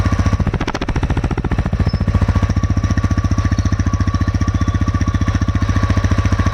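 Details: TVS Raider 125 cc engine at idle with heavy, rapid rhythmic knocking about three to four beats a second; knock attributed to tappet problem (delayed valve opening/closing), possibly loose tappets.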